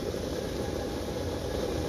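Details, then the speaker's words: 2013 Honda Civic heater/AC blower motor retested after removing a stuck receipt that was spinning inside: steady even whir and low hum, no ticking or scraping; blower motor itself fine. "you go okay nothing wrong with the blower motor just a little paper that just blew away"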